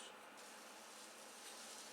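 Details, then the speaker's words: Stick welding at about 30–35 amps, run quickly at an uphill angle: a thin, steady crackling hiss with popping and slag tinging after welding, no low rumble. Normal stick welding arc at low amperage. "so I'm running about 30 to 35 amps very very small amount you have to run pretty quick and you have to run at an uphill angle because of the way the slide is and you hear that popping you hear the tinging after I'm done welding that's a slag flying one"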